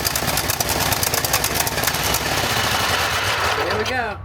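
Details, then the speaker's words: Craftsman GT5000 riding mower, 22 HP Briggs & Stratton ELS 725 V-twin, after carburetor cleaning for a no-start: fast, sharp, even firing that settles; the earlier surging stopped by itself. Normal running. "The surging stopped by itself, guys. How about that? Yeah, the surging actually stopped by itself."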